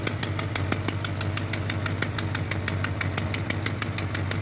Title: Exhaust Leak